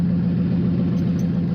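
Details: Ford Crown Victoria 4.6L V8 started via added push-button switch bypassing broken starter solenoid: smooth, even low hum with steady firing pulses and no clicks or roughness; idling normally.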